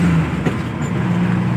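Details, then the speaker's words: Maruti Omni on the road after rear crown (differential) repair and bearing replacement: a steady, even drive hum with no whine or howl; previously very loud. Normal differential after repair. "यह देखो इतनी प्यारी चल रही है गाड़ी और यह देखिए कोई आवाज नहीं बिल्कुल भी"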